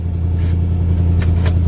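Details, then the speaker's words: 1-ton pickup truck V8 revived after sitting 20 years, new distributor and electronic fuel pump fitted, possibly low on fuel: deep even rumble without misses, stumbles or knocks; normal running. "Yeah, this thing runs pretty good."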